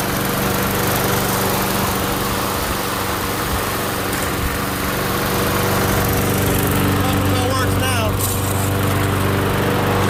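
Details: MTD Gold self-propelled mower with Briggs & Stratton Quantum engine, primed and started outdoors after pull-rope repair: steady, even single-cylinder beat, no misses or surging; runs properly, self-propel intermittent, stripped front wheels suspected.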